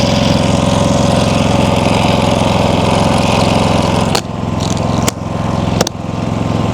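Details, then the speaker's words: Predator 5000 generator, third replacement unit, zero hours: even constant-pitch engine drone, quieting noticeably after a few clunks as the cover plate goes back on; no oil leaks, voltage good; running smoothly. "Look at that, it already dropped down a couple decibels. Okay, I got the uh 5,000 running. It's quiet. There's no oil leaks."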